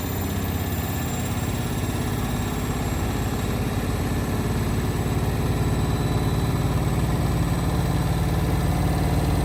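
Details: Indesit WIL143 washing machine on final spin at 1400 rpm: a deep, pulsing rumble of roughly four throbs a second over a steady motor hum; abnormal noise during spin cycle.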